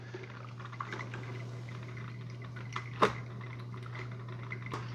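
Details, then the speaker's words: Mr Coffee 5-Cup Mini Brew Switch coffee maker (BVMC-SC05BL2-1, 650 W) starting to brew almost immediately: steady heater hum with soft gurgles and boiling as water passes over the grounds; normal brew cycle, slightly noisy with occasional pops. "so it starts brewing almost right away. I can hear it kind of boiling the water."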